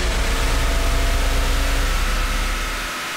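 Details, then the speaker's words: Stock 1978 Datsun 280Z, fuel-injected inline 2.8 litre six, warm on a chassis dyno at full throttle and high rpm; dense steady drone with no misses or knocks, easing off at the end; normal healthy pull, 126.2 hp. "This is what it would sound like if it was roll racing somebody. That's what it sounds like,"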